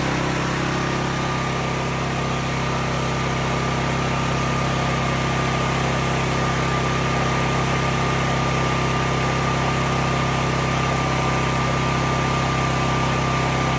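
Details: Cat RP8000E generator, about 5 years old, running with the faulty CO sensor bypassed by a switch set off; even steady hum, constant low drone, no surging or stumbling, normal run.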